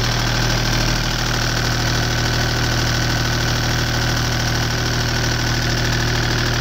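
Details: Deutz 2009L03 (2009L3) German 3-cylinder direct-injected diesel on a test stand, cold start after sitting indoors at about 52°F, glow plugs used; steady even diesel clatter and low rumble at cold idle, no misses or knocks, seems to run pretty good.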